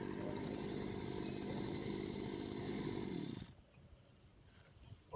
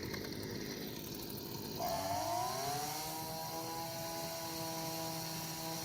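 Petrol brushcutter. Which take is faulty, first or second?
second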